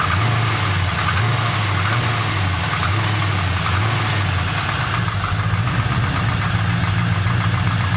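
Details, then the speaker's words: Engine with new TPS and new spark plugs, just started cold: steady idle with a light metallic rattle over the hum that goes away after a couple of minutes once warm, suspected pistons needing heat; cold start rattle, not confirmed. "goes away once it warms up for just a little moment that rattle's gone it's been taking a couple minutes a bit of heat in the pistons"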